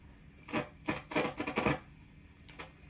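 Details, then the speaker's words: 1976 Fender Bassman 100 tube amp on the bench: scratchy, crackling bursts each time a control moves, with quiet gaps between; noisy pots, to be fixed along with a recap, screen/grid resistor replacement and board de-waxing. "And get those screen grid and grid resistors knocked out along with the rest of the electrolytics and de-waxing of the board. The pots are noisy."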